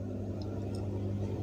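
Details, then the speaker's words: Harman Kardon power amplifier under repair, microphone held against the speaker with volume turned fully down: steady low mains hum with faint clicks and no music; poor soldering on this modified amp is the suspected cause. "sekarang saya tempelin ya mikrofonnya atau kameranya ke speaker kita bisa ngedengerin di sini ada suara dengung"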